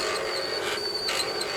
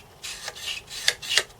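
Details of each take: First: Atari 1050 floppy disk drive for Atari 8-bit computers, single head, after cleaning, loading a game: even motor whir with sharp head-step clicks every couple of seconds, loads quickly; normal disk loading. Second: Atari 1050 floppy disk drive (Atari 8-bit) during cleanup: dry, scratchy rasping as the dusty head carriage is slid back and forth by hand before lubrication; rough, noisy head carriage travel.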